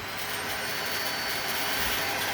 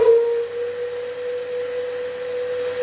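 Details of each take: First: Dyson stick vacuum running normally with a steady high whine and even airflow after being fixed; the howl on switching on or off was caused by the filter. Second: Dyson vacuum, model unknown, making a loud, steady, pure howl over its airflow when switched on or off, caused by a dislodged, loosely fitted side air filter; clicking the filter back in fixes it, and the motor is not failing.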